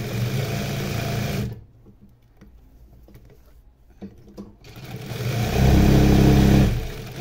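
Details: New servo motor installed on sewing machine, pedal speed raised through 1500 to 2000 stitches per minute: after a quiet pause winds up to a smooth even whir holding steady pitch; normal running.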